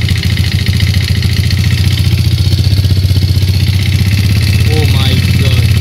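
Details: 2008 Yamaha Jupiter Z at idle: a steady low thumping with a dull knock riding each beat, about one and a half per second, like a loose bottom end. Cause suspected, not confirmed.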